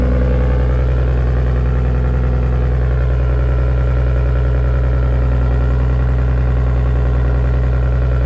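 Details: R33 Skyline with a freshly rebuilt, fully forged RB25DET engine, warming up at idle after start: smooth, even idle with a steady low hum and no knocks, misses or surges; normal idle.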